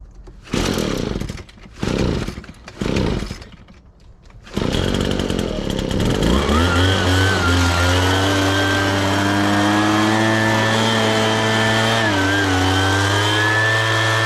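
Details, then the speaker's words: Husqvarna 435 X-Torq chainsaw: fires in short bursts that die away, then revs unsteadily; it dies as soon as the throttle is released and sounds fuel-starved, carburetor suspected. "and that was me letting the gas off so as soon as I let off the throttle it dies and it also sounds like it's kind of starving for fuel wouldn't when you're first trying to pull that trigger in"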